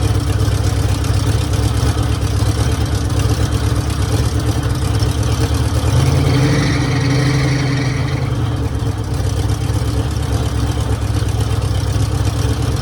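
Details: 1966 Mercury Monterey big-block V8 after fixing a fuel leak, water pump leaking: settles into a deep, steady, even idle with a low lumpy burble and no knocks or misses; sounds healthy.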